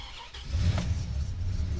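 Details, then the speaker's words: Dodge Ram SRT-10 truck with an 8.3 L Viper V10 that had not run in three years, first start: it catches after half a second and settles into a heavy, uneven low rumble; concerning noise from the engine bay, cause unclear. "động nghe có vẻ không hay lắm chúng tôi có những phản ứng rất khác nhau ở đó ý tôi là nó khởi động tôi lo ngại với tiếng ồn phát ra từ khoang động cơ"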